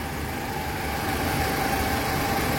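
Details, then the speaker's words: 2018 Toyota Alphard after water pump replacement, leak fixed and test-driven: smooth, even idle with a steady low hum, the rough noise earlier suspected from the water pump pulley now gone; normal idle. "Suaranya halus ya, karena kemungkinan awal juga ada bunyi kasar ya dari si puli water pumpnya."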